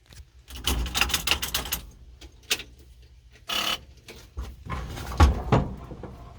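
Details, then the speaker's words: 1951 Brockway truck, seized engine freed after day and a half pickling and chain-pulling, battery reinstalled: starter cranks engine freely in quick loose bursts with no firing; no spark expected from damaged original cloth wiring. "So, we yanked it back and forth a couple of times, spun the engine over a bunch, and now we got the battery back in it. We're going to see if it'll crank over at the starter motor."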